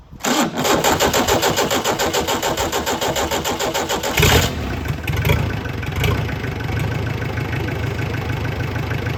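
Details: 1970s Isuzu C240 marine diesel on the bench, first start after bleeding air from the fuel system. Brief cranking, then it catches and settles into an even, steady diesel clatter at idle; healthy start.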